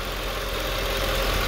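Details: 2005 Mercedes E55 at 165k km during check-up, after a difficult start: steady, even idle with low rumble, no knocks or misses; nice and smooth, normal idle.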